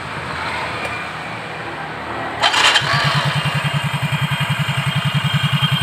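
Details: Soul GT scooter, which had a rough knocking engine sound, after repair: starts cleanly, then settles into an even idle putt of about three and a half beats a second with no knock; the drive sounds healthy.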